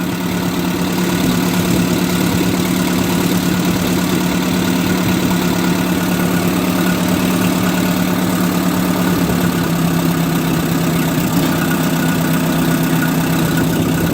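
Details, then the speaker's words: 1958 Oliver 550 gasoline tractor after timing and carburetor idle speed adjustment: even low steady idle, constant drone with no knock, settling slightly slower as idle speed screw is turned down; running well. "I think it's kind of in a happy place. It's not like it's a muscle car where you want to crank all the timing into it. It seems to be running pretty well now."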